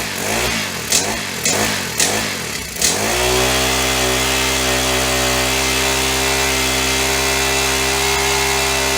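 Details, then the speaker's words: Honda FG100 mini tiller after valve adjustment and reassembly: a few handling clunks, then a steady, even drone with no knocking. Much quieter than before the valves were set. Normal running. "much quieter than it was yesterday when it had no valve"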